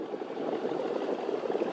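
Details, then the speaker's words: 5.3 V8 with glass-pack exhaust at idle: rapid light ticking over steady idle; exhaust manifold leak, one manifold bolt head broken off and a suspected crack on one side. "Yeah, I've got a little bit of an exhaust leak in the manifolds. I know one bolt head's broke off, and I think there's actually a crack on this side. You can kind of hear it clicking."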